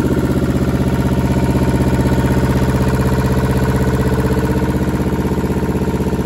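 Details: German air-cooled Deutz F2L511 two-cylinder diesel, ex-forklift, sat about 5 years: steady, even chug at about four beats a second, no knock, miss or rattle; healthy idle.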